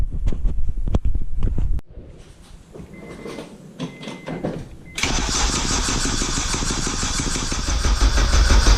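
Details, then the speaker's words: K24a2-swapped Acura Integra first start attempt, after dead battery, open downpipe, radiator off: short bursts of cranking about three turns a second with pauses, no firing; crank no start, later traced to an injector issue. "I've already tried cranking it five times and I'm gonna do it like five more times"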